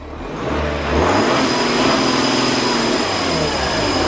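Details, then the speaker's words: Audi Q7 4L 3.0 turbo diesel V6 losing boost pressure, revved with the front bumper on: steady airy hiss rising with revs from behind the driver's side bumper, a boost leak. "again and we can hear that hissing going on behind there so we've got to take the bumper off to investigate"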